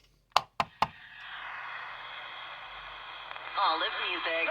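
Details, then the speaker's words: 1960s Channel Master 6528A AM transistor radio used at the beach: tapping the set brings rough static hiss with warbling, crackly noise. Moisture corrosion and tin whiskers in the tuning capacitor cause the crackling. "That's oftentimes what happens when the set's been in an environment that's really got a lot of moisture. This was definitely one of those. This was a beach machine, so the corrosion gets inside. You get little tin whiskers and stuff that propagate through the tuning condenser, and you have stuff like that happen."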